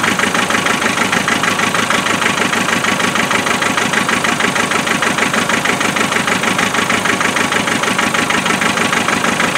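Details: Naturally aspirated 2.5 diesel at cold idle after a glow-plug start: hard, rapid, clattery beat about three per second with shaking. Misfire on one cylinder, found after checking the four injectors' spray patterns. Cylinder misfire from a faulty injector.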